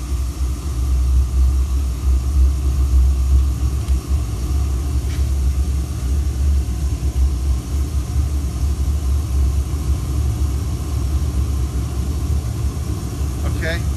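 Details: Pressure-washer heater burner firing, air bands set just open enough that the stack smoke clears. Even, steady low roar with no pulsing, popping or sputter; normal, clean burner operation.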